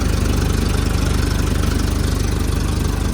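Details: 2010 Doosan propane forklift, about 3,353 hours, after replacing vaporizer/regulator and adjusting mixture screw that had it shaking: steady idle with evenly spaced firing pulses, no surging or hunting; normal idle.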